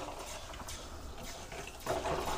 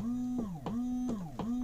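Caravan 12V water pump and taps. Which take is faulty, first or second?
first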